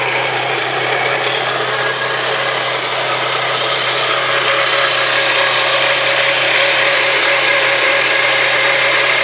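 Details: Ion petrol engine held near redline with a strong raspy hiss over the steady engine tone and slight pulsing; cause unknown.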